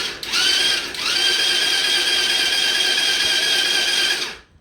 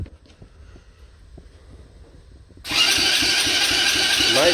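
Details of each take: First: Coolster 125cc ATV, under 50 hours, previously sunk and abandoned, in neutral with brake held, after a faulty power or starter switch was sorted: high, steady starter whir for about four seconds. Electric starter now cranks normally. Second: Coolster 125cc ATV, under 50 hours, previously sunk and abandoned, choke on, in neutral: starter cranks for about twelve seconds with no fire. Carb leaks fuel outside but none gets inside.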